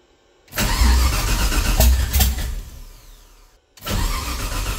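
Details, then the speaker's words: 1969 Camaro LS3 swap, Holley ECU, open headers: catches and barks loud and lumpy, drops away and comes back on throttle, needing some gas to idle; running on all eight cylinders. "all right i think we're firing on all weight i had to use the gas a little bit right there to get it to to idle but uh that definitely sounded like it was running on all eight"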